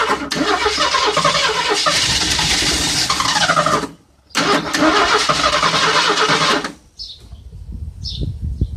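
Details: Engine with an inline fuel filter before the pump, oil spraying from somewhere: catches and runs rough a few seconds, dies, catches again and stalls. Fires only on starting spray.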